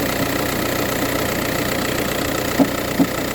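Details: VW Touran 1.9 TDI diesel cold start idle: loose fairly regular knock about two or three per second over clatter; noise only in the morning, no issues when driving or changing gears; source not pinned down.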